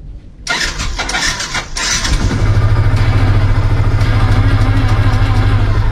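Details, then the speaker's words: Motorcycle starter test while checking a weak horn: brisk, strong starter whirr catching quickly into steady even idle, still strong with engine running, so the battery is not weak; horn fault lies elsewhere. "Nah kalau gue tes starter kencang tadi, bahkan ketika mesin sudah nyala masih kencang, artinya aki gue tidak soak."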